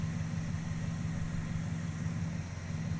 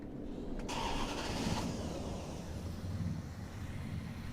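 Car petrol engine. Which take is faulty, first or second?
first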